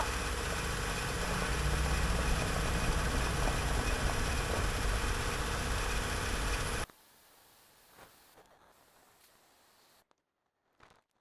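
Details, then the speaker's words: 2014 Honda Pilot, original engine seized at 200,000 miles, just swapped in a replacement: rough lumpy idle with uneven beat, a cylinder misfiring; engine smoking, cause unknown, codes not yet read, otherwise sounds okay. "other than the cylinder's misfiring everything else sounds and feels okay"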